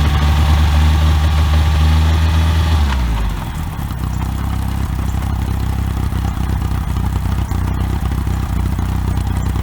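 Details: OMC 2.5 L 140 hp sterndrive in a 1981 Sea Sprite, on water muffs after sitting since winterizing, temperature coming up: revs drop after a few seconds to a smooth, even idle with a steady low beat and no misses or knocks. Normal idle.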